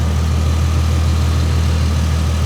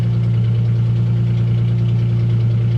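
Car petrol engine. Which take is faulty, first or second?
second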